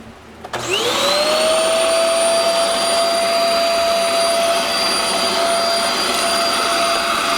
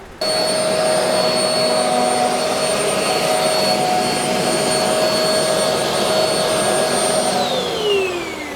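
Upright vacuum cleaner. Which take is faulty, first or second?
first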